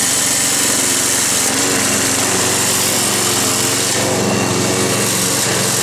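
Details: Roadside-salvaged Nautac mower with Quantum XM engine in poor condition: running flat out with loud buzzy, rattly drone over a steady note, vibrating hard; owner blames the rusted, weakened deck and a probably unbalanced blade.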